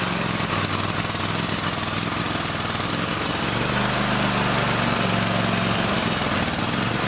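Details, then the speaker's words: Toro TimeCutter SS4235 mower after its electric parking brake connector was repaired and greased; before this it would not crank at all. Now the engine catches and settles into a steady, fast, even chug, so it starts and runs normally. "And we're gonna hit the key and the motor should start cranking now. Like I said, it wouldn't do this before. It wouldn't do nothing."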